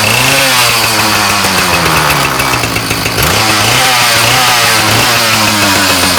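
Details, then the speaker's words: Ryobi 705r 31cc two-stroke line trimmer that broke after 10–15 minutes of brush-cutter use: the engine buzzes unevenly under throttle with a loose marble-like rattle while the trimmer head won't spin. A broken drive part is suspected, not confirmed. "okay listen closely hopefully we're able to hear that kind of rattle kind of like marbles"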